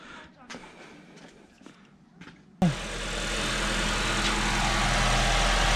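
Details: 2012 Honda Civic 1.8L after alternator replacement: brief quiet, then the engine fires and settles into a smooth, even idle with a steady low drone, no knocks or squeal. It charges at 14.34 V; normal idle.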